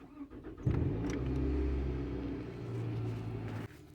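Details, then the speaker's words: 2006 Toyota RAV4 2.4L four-cylinder, after replacing the ignition coil pack behind the P0303 cylinder 3 misfire: starts and revs briefly, running smoothly with an even note, no misfire or shaking. "one two three four four cylinders not misfiring anymore engine is not shaking at all ignition coil pack was the problem"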